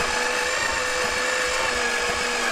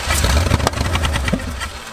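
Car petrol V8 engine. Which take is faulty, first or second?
first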